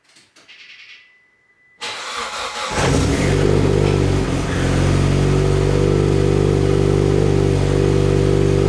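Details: Mitsubishi Evo X 600bhp build, cold start after engine rebuild and turbo fit: cranks and settles into a loping, choppy idle, lumpy due to high-lift cams and dual valve springs, which the owner says is normal.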